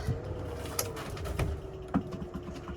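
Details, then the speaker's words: Inverter switched on while shore power is plugged into its output (online hack trying to run aircon), microwave on, something flashing; thin steady mid-pitch whine over low hum with odd clicks — inverter distress from backfeed. "I've just turned the inverter on with the power plugged in and what I can see straight away is something flashing and it doesn't appear to be liking what I'm doing very much."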